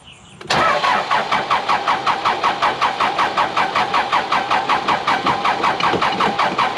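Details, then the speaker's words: Cat 416C backhoe diesel cranks steadily at about four pulses a second for six seconds without firing; seems not to be getting diesel, often hard to start after wet conditions; starts after priming and ether. "let's do it again it's almost like it's not getting diesel"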